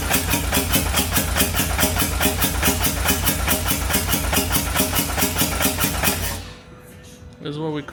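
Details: Customer's poorly built Harley M8 128 V-twin, rebuilt by Ninja V-Twin with spare parts, being primed: even, regular cranking beats at about two and a half per second for six seconds, then it stops without firing; normal priming crank.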